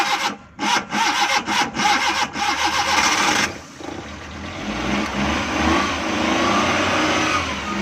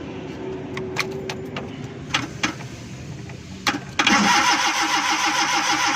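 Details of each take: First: Suzuki Ravi (Bolan) van after its morning starting problem was fixed: several choppy cranking bursts, then it fires and holds a smooth steady idle without stumbling; normal start and idle. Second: Suzuki Ravi (Bolan) van on CNG with low petrol, morning starting problem: gas kit fed direct current, then steady starter churning that never catches; cranks but won't start, and the spark plug is found to be getting no current.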